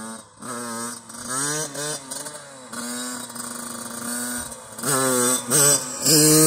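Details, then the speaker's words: Yamaha YZ85 two-stroke after a fresh top-end rebuild, about 2.5–3 hours on it, revved in neutral: crisp revs sweep to high rpm and drop back cleanly, with no knocks or rattles. It can rev out high safely. Healthy. "Man. Yeah, those 85s, they can rev out pretty high. It's not going to hurt them."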